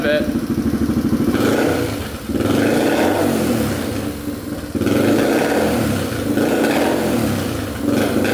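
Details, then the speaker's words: 2007 Yamaha TTR230 single with the choke off and a new boot installed: it revs up and down unevenly with sharp pops and crackles on each blip. It idles nicely, with a little chatter; the owner suspects the valves need adjusting, cause unconfirmed. "see what kind of backfires a little bit kind of revs inconsistently there's a little chatter the overall idols nicely"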